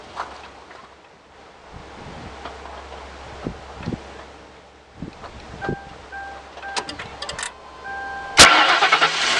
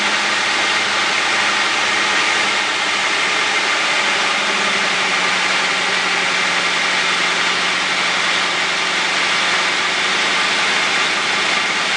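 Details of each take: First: 2004 Crown Victoria 4.6 cold start after sitting: warning chime, then a harsh high screech as the engine cranks and catches, fading shortly after; persists with belt removed, seems from left valve cover area, owner suspects timing chain. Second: 2004 Crown Victoria 4.6 V8 after a cold start: steady idle with no screech. The short cold-start screech came from the starter Bendix one-way gear, now freed up by soaking it in oil; starter replacement still warranted.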